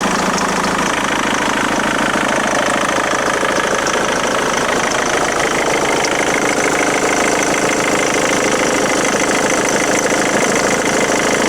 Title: Ford Mondeo MK3 2.0 TDCI strange engine noise - is it a failure?